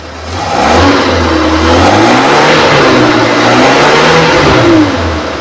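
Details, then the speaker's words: 2005 Suzuki Carry PV 1.0, engine still cold, raised rpm: it climbs smoothly through the revs and settles back with an even note, no knocking, ticking or rattles, no sign of engine trouble. Normal revving. "Kita naikkan RPM pun suaranya masih oke, masih bagus, aman, tidak ada ciri-ciri mesin bermasalah."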